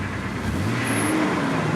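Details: Newly bought used car with an engine light on, not yet scanned: a short, even rev with a smooth rise in engine note and no knocking or ticking; the engine pulls up clean. Normal revving.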